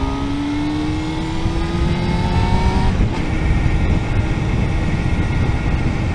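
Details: 1998 Honda CBR600F with new exhaust: thin high-pitched whine over the engine rumble, rising with revs, present as long as owner remembers; no other problems, bearings seem ok, cause unknown.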